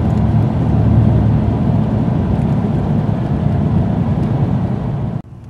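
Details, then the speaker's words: 1996 Dodge Dakota 3.9L V6, aftermarket fan clutch, driving at about 32°F outside: loud steady whooshing fan roar over the engine, then it drops away; the clutch stays locked instead of slipping and cycles too slowly. "so we're gonna go down the road listen for the fan clutch and you're gonna hear how annoying that lock fan clutch is this should not happen it should thermal cycle this one used to but it's not anymore"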